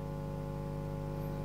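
A steady low hum with a buzzy edge drones on without change; AC on the valve heaters is putting mains hum into the amplifier.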